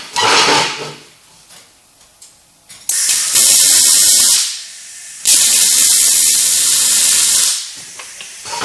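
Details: Riland MIG 2000T multi-process welder on sheet metal, settings reduced to 6: steady frying sizzle in short bursts between beads, even with no popping; normal MIG weld.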